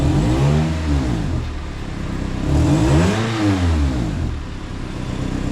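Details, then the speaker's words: Honda CR-V after ignition coil replacement, O2 sensor codes present from aftermarket catalytic converters: engine climbs smoothly through two rev blips and settles with no stumble or miss; normal revving. "it seems to rev up pretty fine"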